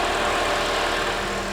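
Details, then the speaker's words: Salvage-auction convertible, dirty engine bay, engine with belt: even, steady idle with smooth hum, no ticking, knocking or squeal; sounds really good. "she's dirty but she sounds really good this one has a belt okay this really really sounds good here"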